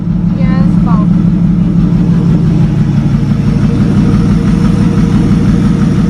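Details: 1937 Talbot saloon 3.2-litre six-cylinder, first run since 1976: steady, even low idle with a rapid regular beat, no knocking or tapping; slightly smoky, oil pressure about 40 at idle, 50 with revs.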